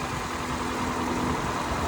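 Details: 2008 Toyota Corolla during a pre-purchase inspection, cold engine warming up: quiet, even idle with a soft steady hum and no knocks or ticks, getting quieter as it settles down normally.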